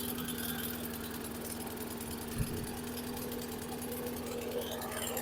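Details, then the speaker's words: 2014 Troy-Bilt TB130 push mower on a cold start, needing an air filter and oil change: steady, slightly lumpy idle drone with black smoke. Running rich because the automatic choke was still closed; it later quit on its own. "it's running rich [Music] you can really see the black smoke this thing is running really rich"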